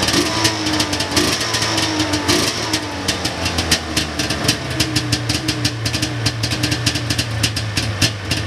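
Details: 1999 Ski-Doo Formula DLX two-stroke with badly messed-up carburetors, likely flooded by unneeded choke. The idle stumbles with uneven crackles, pops and an unsteady, boggy pitch. Carbs are to be cleaned and fresh plugs fitted next. Rough running, likely fuel mixture trouble.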